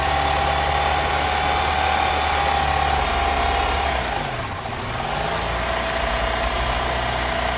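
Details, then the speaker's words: Honda Element after starter and AC compressor replacement and fixing intake air leaks (replaced hoses, tightened clamps): the idle holds, then sags and dips in pitch before climbing back; the idle surge persists, cause unknown. "it was idling the Third the idle was kind of surging so let's see if that goes away"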